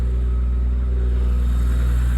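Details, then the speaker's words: BMW after replacing a PCV (crankcase ventilation) valve that was blamed for an engine screaming noise: smooth, steady revving with a deep even rumble and no squeal or scream on top; engine healthy. "the car right now is running amazing, right? No, it's good. It sounds good too, right?"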